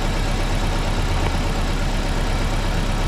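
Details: Engine misfire from a faulty spark plug lead, one cylinder not firing: uneven, lumpy idle with a loping beat under the engine drone, before ignition coil, plug cable and spark plug replacement.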